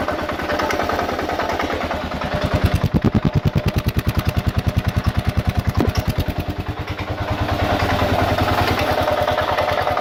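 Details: 2000 Kawasaki KLR650, about 45,000 miles (odometer reads 41,000), clutch plates replaced ~1,000 miles ago, doohickey reportedly done, warm after earlier start: idles with steady rapid clacking and rough grinding edge, cause unknown.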